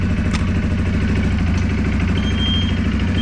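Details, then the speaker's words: 2023 Segway Snarler AT 5L ATV just started, compared with a 2023 CFMoto X5 520 L: steady, even low thrum with regular pulses and no knocks or rattles, slightly louder but a less loud beat; normal idle. "okay let's start the seg way sound absolutely the same this sound a b louder I don't know what hard to say but the beating on this one is not as loud as that"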